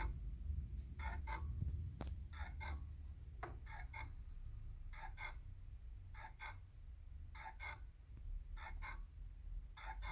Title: turntable grinding noise